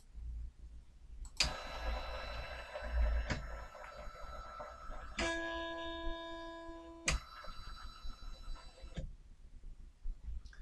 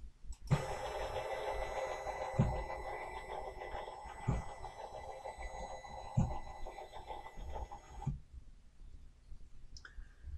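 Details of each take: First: SainSmart 3018 PRO CNC X-axis with GRBL acceleration $120 raised from 1800 to 2500: short stepper whines breaking off abruptly into buzzing as the motor loses steps and stalls; settings too high, so stepped back to 1700. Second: Sainsmart 3018 PRO CNC during GRBL acceleration tuning, lowered from 2200 after jamming at rail ends to 2000: steady stepper hum about eight seconds, soft regular bumps at move changes, no skipping; normal stepper traverse.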